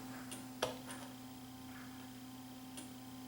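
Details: Samsung HPT5064 plasma TV, dead after on-off cycling, power supply on the bench: one sharp relay click and faint ticks over low hum as the supply tries to start; a 63 V VA supply FET shows no clean signal, fractured lead-free solder joints, FETs suspected damaged.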